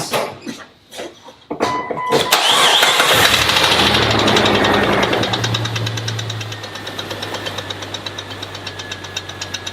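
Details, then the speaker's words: Green Jeep Cherokee getting a replacement 4.0L motor, started briefly to demonstrate its existing engine: a steady, hard tapping knock at about three per second rides over the idle throughout and sounds pretty rough. Engine knock, cause not confirmed. "You heard that knock, it sounds pretty rough."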